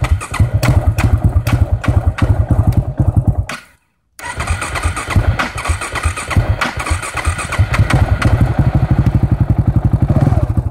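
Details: 2009 KTM 690 Duke single, hot-engine hard start in the afternoon after sitting in the sun: heavy rhythmic cranking thumps, pause, more cranking with uneven firing as it struggles to start.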